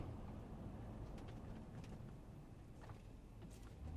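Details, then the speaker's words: Chevy Tahoe on the road after replacing the upper steering shaft for steering clunk: steady low road and cabin rumble while slowing to a stop, no clunking or crunchy noises from the steering, noise gone. "all right guys on the road with the replacement steering shaft the noise is gone completely on no clunking uh no crunchy noises you come to a stop"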